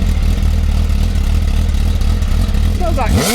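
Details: Motorcycle at an MOT test shop (possibly a stock MV being shown for sale rather than the GSX-R1000 K1): an even, deep idle for three seconds, then a clean, quick rise in revs. Engine sounds healthy.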